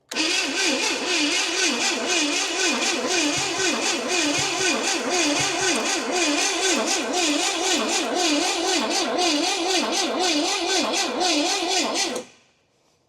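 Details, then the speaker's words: 1969 Pontiac GTO with what appears to be a Pontiac 350, sitting 35 years, after a brake-clean shot: steady cranking about two turns a second for twelve seconds with no catch. Cranks but won't start; the owner suspects it is fuel-starved or way out of timing. "So I felt like I heard just a little bit of a giddy up. This thing might just be super thirsty. Or it's way out of timing."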